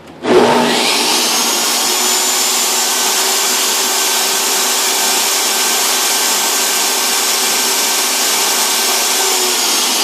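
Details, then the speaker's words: DeWalt table saw universal motor, previously wouldn't start from sawdust/lignin compacted between brushes and brush holders, running after cleaning: loud, steady high-pitched scream holding speed evenly, no stutter or grinding; normal run. "And for those of you wearing headphones, for those of you who pipe the audio through your sound system, turn it way down because it's about to get very, very loud with this motor."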